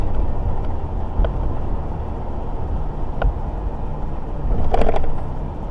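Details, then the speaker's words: Ford F250 with the 5.4 petrol V8, about 4 tons, cruising in bunched freeway traffic at about 11 mpg: low, even engine drone under steady road rumble, no knocks or ticks; it runs normally. "Trucks are just, this thing just runs nice."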